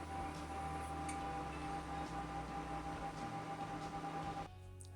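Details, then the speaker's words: Cooler Master Wave Master case with four 80 mm fans at full speed; loud steady whoosh with a high whine, in a retro Socket 462 build. "what is important is that this thing has four 80 millimeter fans in it and they are loud as heck they're unbelievably loud um it sounds like this"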